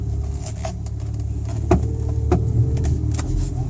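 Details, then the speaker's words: BMW steering clicks over low engine rumble while turning, a noise present for a couple of months. Cause: the passenger-side steering rack mounting bolt was slightly loose; it was tightened. "clicking so it's either a bad rock or it's just the Rock's loose so I have to jack it up and take a look see if I can tighten up the bolts and make it go away"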